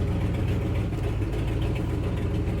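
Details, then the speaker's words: Truck just after a cold start: low, quiet, even idle rumble with no ticking or knocking; power steering pump notably quiet; healthy-sounding idle, though owner says the truck is not truly healthy. "Not bad at all. Gosh, I cannot believe how quiet that power steering pump is. That's unbelievable."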